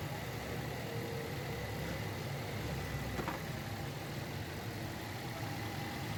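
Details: Toyota Corolla GLi 2010 after misfire and fuel-average repair: quiet, steady idle with even low hum, no skips or shakes; engine now running smoothly.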